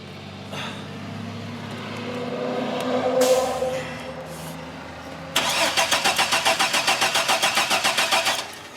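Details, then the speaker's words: GM 4.3L Astro/Safari van, intermittent no-start, fuel pressure and spark checked; owner suspects aftermarket distributor: steady cranking about three seconds without catching; crank, no start, cause still unknown. "I guess I have to consult my troubleshooting manual or something guys but that it's a little troubleshooting of the van why it won't start and so far I have no clue"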